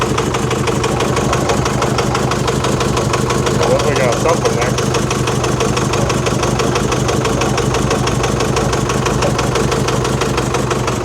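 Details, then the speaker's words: 2019 Chevy Colorado Baby Duramax diesel, towed in after knocking and heavy smoke appeared suddenly about 4,000 miles after purchase: loud rough idle, steady knock about three a second, tensioner bouncing, puffing exhaust leak at the back; knock cause unknown. "Jeez, that is working hard. Tensioner bouncing. Sounds like an exhaust leak a little bit, too. But that is noisy."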